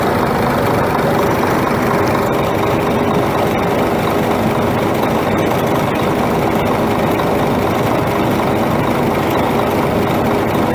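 Loud, steady, gruff idle with a dense clattering rumble and no clear beat standing out; a knocking diesel at idle.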